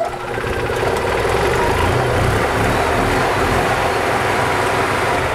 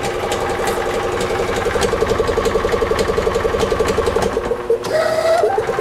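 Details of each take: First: Gas EZGO TXT golf cart (1996 or 1999) that was hard starting, after tightening spark plugs and carb cleaning: catches right away, steady even idle without misses; normal start and idle. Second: EZGO TXT gas golf cart (1996 or 1999) that is hard starting, losing power and rattling: a loose, uneven metallic clanking that varies with revs. Suspected failing clutch, worn starter-generator bearings or an internal engine problem.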